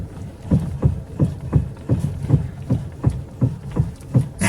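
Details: 2006 Pontiac at 153,000 km, steering wheel noise: dull low thumps about 160 a minute, unevenly spaced, with no engine drone underneath; steering clunk of unknown cause.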